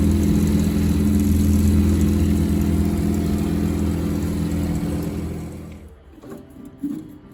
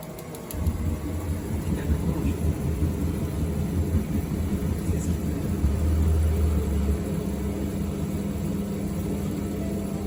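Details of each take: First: Combi boiler unserviced for about 8 years: loud droning hum with a low buzz and rhythmic throb from the fan motor, its blades clogged with dust; cleaning the blades quieted it. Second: Combi boiler fan motor unserviced for about 8 years, after cleaning the dust layer off its blades: a low, smooth hum with the earlier noise and vibration gone.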